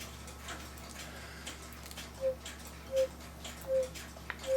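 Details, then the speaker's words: Swiss-style German cuckoo clock with man milking the cow, bellows whistle box: four short thin peeps barely above room hiss; whistle far too weak. "you can just barely hear it and so what I plan on doing cuz we need this to give something so you can hear it outside the clock better"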